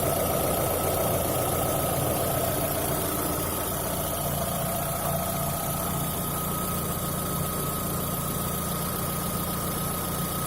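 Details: VAZ 2110 engine after replacing the exhaust manifold: steady idle with a faint high whistle over an uneven ticking hiss, suspected leak around the exhaust manifold, not confirmed.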